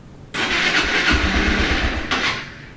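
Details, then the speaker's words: Honda CG 160, cold first start, after dealer valve adjustment: fires, runs rough briefly and dies, won't hold idle; also a valve-like knocking noise since purchase, absent when warm. "E aí ela geralmente ela não vou dar a primeira partida aqui ela não fica ligada e ela ainda assim tá fazendo esse barulho no motor um barulho de válvula"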